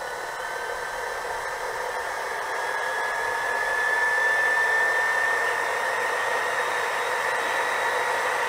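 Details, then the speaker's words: JoJo 1.5 kW variable-speed pump turned up to a higher pressure setting on a test rig: even whooshing hum with a faint tone rising slightly as the pump speeds up; runs smoothly. "the way we had it set at four bar there we're actually um seeing quite high high power consumption"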